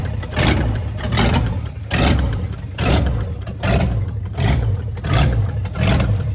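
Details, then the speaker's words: 1965 Ford Galaxie V8 after setting carb floats and mixture, oil pressure light out: engine blips with light ticking from top end; valvetrain tick, possibly dry rockers, not yet investigated. "there's a bit of a clicking sound coming from the top of the engine we didn't know whether this was dry rockers so we would have to do some investigation"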